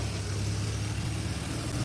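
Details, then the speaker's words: 1986 Chevrolet C10 with TBI fuel injection, code 44 lean mixture, fuel pressure holding at 15 psi: low idle with uneven, dipping beat; engine stumble at idle, owner suspects injectors, pressure regulator or vacuum leak. "All right. You see it's stumbling. See, it's stumbling. See it? It's stumbling now."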